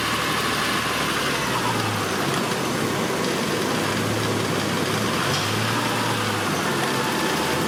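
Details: Honda Accord V6 after thermostat replacement, idling while bleeding air from the cooling system with heater on: even, steady idle with a low hum that wavers slightly and no knocks, misses or squeals; normal idle.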